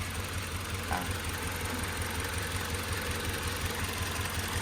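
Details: Toyota van, 2.7 VVT-i petrol with factory CNG, idling and stumbling in both gas and petrol modes: the idle beats unevenly about twice a second and the engine shakes. Misfire at idle; owner suspects a faulty ignition coil and is checking coils one by one.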